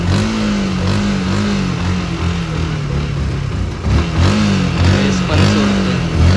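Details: Yamaha R15 motorcycle after fuel pump problem: engine revs up and drops back in repeated blips and pulls cleanly without stalling or sputtering; fuel pump now working, running normally.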